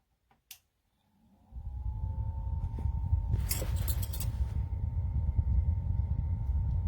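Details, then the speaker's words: SmartDevil small USB desk fan with stepless speed adjustment, running on low: soft, even low hum with a faint steady tone and no rattle or ticking; quiet, healthy running. "How quiet is that for a fan? It's marvelous."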